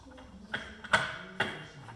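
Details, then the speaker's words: Polaris Super Mod triple snowmobile engine, stopped suddenly at what was thought to be full throttle, turned slowly by hand: three dull clunks about half a second apart, sounding low; owner suspects lost piston skirt, broken ring or crank damage, not burnt down. "i think either it lost a fist and skirt possibly broke a ring or it's down in the crank but to me it sounds like it's pretty low the clunk clunk"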